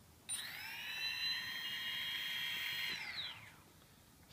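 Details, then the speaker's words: Quadcopter brushless motors on Afro Slim ESCs with SimonK firmware, tested with motor four disconnected: even, steady high whine with no wobble or beating, winding down cleanly; the remaining motors run smoothly. "you can hear that everything's running nice and smoothly okay so number one is running two and three and four is stationary"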